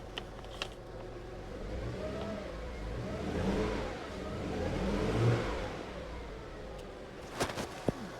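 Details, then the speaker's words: 2009 Land Rover LR2, 3.2 I6, 198,000 miles, after a suspected bad alternator; two smooth, clean revs with no knock, whine or rattle. Seems to be running pretty good, and the alternator is now turning. "Yeah, it seems to be running pretty good."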